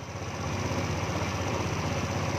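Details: Yamaha Novo scooter restarted after the ISC (idle speed control) valve was reseated to clear error 37: a small single-cylinder putters at a low, even idle with no hunting or stalling. Normal idle.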